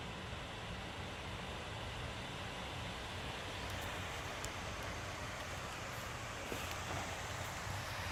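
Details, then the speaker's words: Alienware Area-51m laptop (i9-9900K, RTX 2080) in the full-speed thermal mode, which is louder than performance mode: an even, steady rush of air with no rattles or ticking; normal full-speed fan noise. "it's getting louder I suppose it's not getting much more louder than this now and that's not very bad it's not much louder actually Dan"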